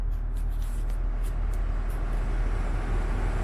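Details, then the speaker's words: Porsche Cayenne 958, engine running, front windscreen demister on: steady low engine hum with an even rush of vent air, no paper-shredding rustle heard before. Normal demister airflow. "that's what it should sound like however when we've been putting it on previously it's been giving like a paper shredding sound like which is obviously really annoying"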